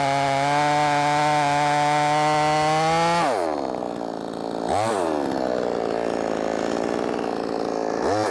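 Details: Brand-new, unbroken-in Wemars 6220 clone chainsaw on shakedown run: high steady scream pulls down cleanly into the cut and recovers crisply between cuts; loud, revs good; normal running under load.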